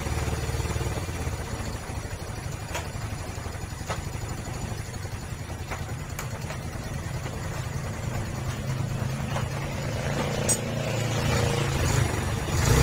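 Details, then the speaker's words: 2004 Yamaha Vega R with engine warmed up: even, steady low single-cylinder idle around four beats a second, no rattle or tapping; when cold it rattles from the cam chain, which was found loose. "Ini kondisi mesin panas, sudah halus. Nah, sudah halus ya bro."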